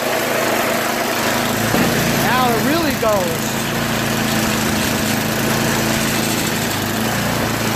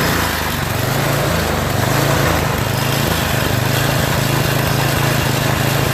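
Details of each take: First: Yard Machines MTD 8HP 24-inch snow blower single-cylinder engine idling steadily and evenly after its cracked oil breather overflow tube was cut and rerouted over the fuel line following an oil leak; no misses or surging, runs healthy. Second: Yard Machines MTD 8HP 24" snowblower, oil overfilled into the breather and carburetor, started on electric start; runs unevenly, speed hunting with heavy vibration. Engine surging.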